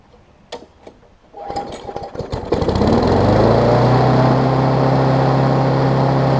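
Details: Craftsman push mower with a Briggs Classic engine, after a carb diaphragm and spark plug replacement, primed a few times: a few pulls, then it catches and settles into a steady, even note idling a little fast; runs smoothly.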